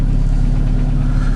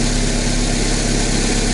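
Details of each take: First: Chevrolet Cruze engine at 239,000 km, heavy steady low idle with a dull knock at engine speed; endoscope showed good hone, no scoring; piston knocks on reversal, part of the piston skirt broken off — piston slap. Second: Chevrolet Cruze, Z18-family 1.8 engine, 239,000 km, after budget repair of a piston knock: even, steady idle with a smooth low hum and no knocking or ticking. Runs cleanly and sounds healthy.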